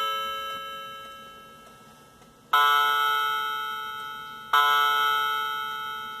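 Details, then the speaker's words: Cheap Chinese quartz clock mechanism with electronic chimes: Westminster chime triggered by button, played through a small speaker; clear bell-like notes every two seconds, each ringing and fading evenly. Normal electronic chime. "I'm going to demonstrate the Chimes the Westminster Bell and I can do it by pressing this button here and this is the little speaker that makes this sound foreign"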